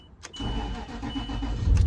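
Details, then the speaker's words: 2008 Range Rover Sport Supercharged V8 restarted after a bad battery ground-to-fender connection was fixed. Quick crank catches immediately and settles to a steady idle. Normal start. "Fires right back up. No issue."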